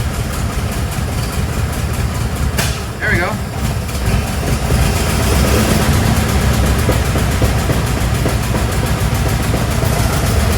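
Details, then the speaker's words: 1914 REO being troubleshot and repaired; the old engine comes to life and settles into a low, steady chugging idle with an even beat and no knocks or misses, normal idle. "oh that sounds okay here we go here we go I'm getting excited oh she's alive"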